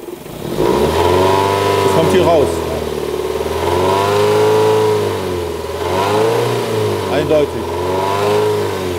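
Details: 2002 Toyota Corolla 1.6-litre engine: revs rise and fall smoothly, with a brief tinny rattle over it at higher revs, pointing to a loose heat shield that can be silenced with one screw.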